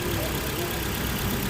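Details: Ford Fiesta/Focus after repair for idle hiccups: steady, even idle with smooth low hum and no stumbles; cam timing found about 30 degrees out and reset without new parts, after another garage's coil, plug and throttle body replacements failed; now running cleanly.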